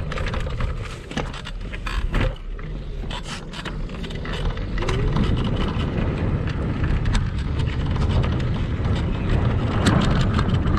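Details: Kugoo Max Speed electric scooter ridden off-road on sandy rough ground, camera on the front stem: irregular squeaks and clattering knocks with each bump, the whole scooter rattling; noise points to the front fork, and the rider blames a wildly squeaking spring mechanism.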